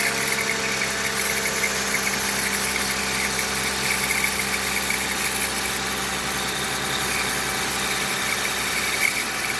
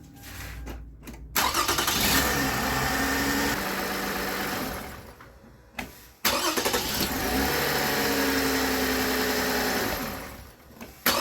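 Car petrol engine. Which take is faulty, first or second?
first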